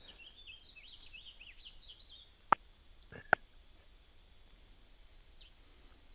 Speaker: um hear that little ticking on the right side no i don't oh hugh livingston huh you don't hear that ticking oh now i now i do i turn it up maybe yeah i turned your way up that's something a little pcm a10 does